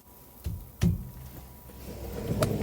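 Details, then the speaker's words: Ford EcoSport rear stabilizer bar end link struck: a few dull, solid thuds with no loose rattle, so this link sounds fine; the rear rattle over bumps is suspected to come from the end links, which are to be replaced. "That one sounds all right."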